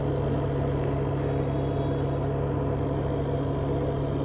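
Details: Whirlpool Ace XL 9.0 kg semi-automatic washing machine in spin. A loud, steady low rumble and hum from the drum, which needs replacing.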